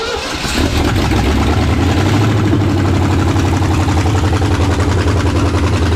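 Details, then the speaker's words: 1968 Ford F250 "Ole Red" with a freshened 360 FE V8, first start after install and after fixing a massive vacuum leak: a loud idle with a sharp, uneven clatter about four times a second. It was thought to be valves, but it is exhaust leaking from unbolted headers. "you see what the clatter was on there what the headers wasn't even hooked up"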